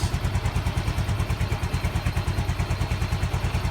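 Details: Yamaha Mio M3 injection scooter after fitting a Mio Soul GT regulator/rectifier to clear MIL code 46 (battery charging fault): steady, even single-cylinder thump, charging now detected OK, runs healthy.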